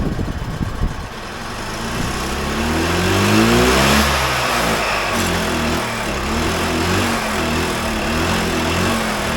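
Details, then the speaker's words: 2001 EZGO TXT gas golf cart, formerly seized engine, after fuel fed into the carburetor and choked: small chugs, revs up and down smoothly, then holds a steady even beat; now running normally. "longer she's a runner runner I bet you [Applause] hot diggity dog got it running"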